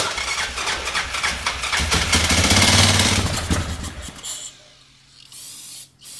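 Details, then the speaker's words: Yamaha Grizzly 600 ATV (about 1998–2001) cranking on spray fuel, oil possibly gas-thinned: harsh, uneven cranking bursts building to a loud rattle, stopping and restarting; owner suspects the starter is hanging up, not confirmed. "it kind of sounds like the starter. It sounds like the starter is uh hanging up or something."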